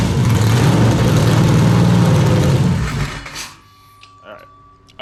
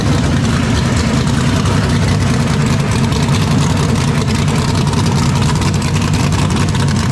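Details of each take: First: 427ci Dart LS Next 2 race truck V8 on engine run stand, open headers, first fire-up; heavy lumpy rumble for about three seconds then fades and dies; cause unknown, owner will check data log; oil pressure good; engine stalling. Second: 427ci Dart LS Next 2 race truck V8 on run stand, ls3 heads, solid roller cam, billet crank and rods, twin turbos, methanol, cold first start before dyno. Loud, deep open-header rumble holds steady and even with no knock or miss; healthy fresh engine.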